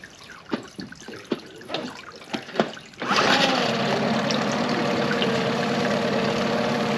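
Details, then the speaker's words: 2001 Yamaha 15hp four-stroke short-shaft outboard, sat in a barn over 5 years, after full service, in a test tank: after dripping water it starts cleanly and holds a smooth, even idle, no misfires or rattles. "Basically all I'm going to do now is just let it run for like 15 minutes. I'm going to walk away from it and just let it run."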